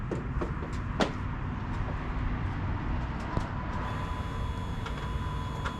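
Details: 2006 Dodge Magnum after swapping the suitcase muffler for two pass-through Magnaflows, full exhaust hooked up, one tailpipe off-center: low, soft, even idle burble with a few light clunks; surprisingly quiet, near stock.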